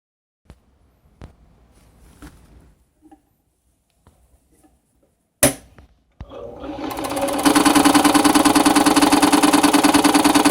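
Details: New Home 702 sewing machine runs in two bursts with a hard, rapid, regular banging on every stitch.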